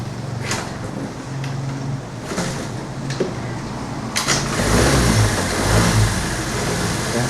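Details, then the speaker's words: Hero Pleasure scooter, 16,000 km, with starting problem, after cleaning the spark plug and oiling the valves: a few cranking thumps, then the engine catches and settles into a steady, even idle; now starts. "Start అయింది end అయితే చూద్దాం ఒకసారి so బండి అయితే start అవుతుంది"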